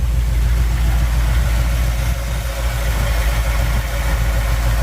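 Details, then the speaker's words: 1959 Chevy El Camino after head removal for suspected head gasket or cracked head overheating: low, even idle rumble with a steady beat, no knocking or ticking, earlier noise gone; normal idle. "Yeah, she quieted up, too. She smoothed out and was all quiet where she was making that noise before."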